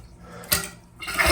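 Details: Toilet refilling after the fill valve's water restrictor washer was removed from underneath. The water rushes with no buzzing or vibrating hum, so the vibration noise is gone and the fill sounds normal.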